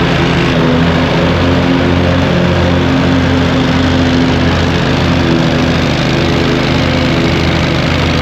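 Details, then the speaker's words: Hustler zero-turn mower with swapped engine, new blades, three new spindles, belt tensioned, mowing grass: steady even drone holding speed under load, no misses, knocks or surging; normal running under load. "Still got to get a seat, but it mows. It's a beast."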